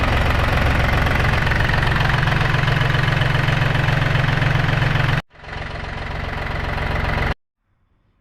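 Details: John Deere 870 tractor, Yanmar diesel, after new fuel filter, cleaned strainer bowl and air bled from lines: settles into a steady even clatter at idle, no misses or stumbles.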